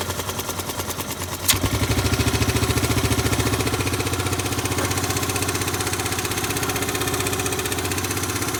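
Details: Yamaha Grand Majesty SG15 scooter, 30,000 km, oil changed every 2,000 km, noise started suddenly. After a sharp crack, the idle keeps a steady tapping clatter about 3.5 per second. Owner hopes for an AIS pipe exhaust leak but fears crank or head.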